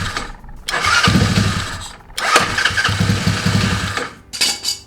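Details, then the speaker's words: Small scooter fitted with a homemade push-button start harness with a momentary kill/power switch. Key on, brake pulled, power button pushed, then start button. A short starter whir, then the little two-stroke catches and revs in uneven bursts before settling. Normal start. "This is the on and off switch for the thing, but it's a momentary, so it's normally off. So I gotta push it, and then I can start the motor."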